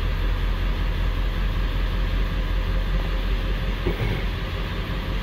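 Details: 1999 Ford 7.3L Powerstroke diesel that logged a P1280 code at startup, after troubleshooting: steady, even idle with a low, uniform rumble, no misses or stumbles; service engine soon light out and no DTCs.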